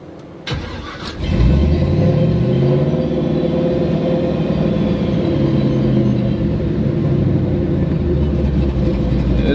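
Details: LS-swapped Buick Regal at start-up, newly set to closed loop (self-learn) tuning: engine cranks, catches and flares up, then holds a fast steady idle with a low rumble that never settles; high idle at start-up, cause being investigated.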